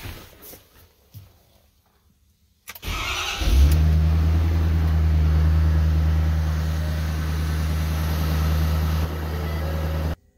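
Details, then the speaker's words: 2012 Ford F-350, 6.7 Power Stroke diesel, about 315,000 miles, that randomly shut off and wouldn't restart: with the relay jumpered, a short crank, then it fires and settles into a deep, steady, even idle; starts and runs. "okay so now we know we'll start and run if we can get this relay right here which is not being commanded on which is coming from the body control module and coming into this battery junction box"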